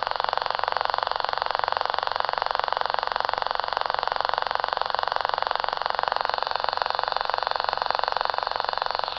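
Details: Battery-less Stubblefield coil at 0.3 V, reactivated by tap-water soak, heard via small radio: crisp, very regular reed switch clicking about four per second at a steady pace as the mirror magnet spinner runs normally.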